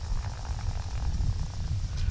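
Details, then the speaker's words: Removed front wheel hub bearing from a 2004 Pontiac Grand Prix turned by hand: low uneven rumbling hum with faint gritty rattle from the worn bearing; the new one rotates silently. "also when you're rotating it there, you can hear it, that humming noise."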